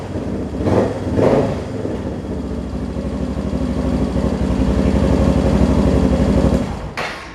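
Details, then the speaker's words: Suzuki DR650 that ran rich, after main jet change and needle adjustment: fires quickly with a couple of blips, then settles into a steady, even idle without touching the throttle; starts well now. Normal start and idle. "Seems to start up really good now. Don't have to touch the throttle."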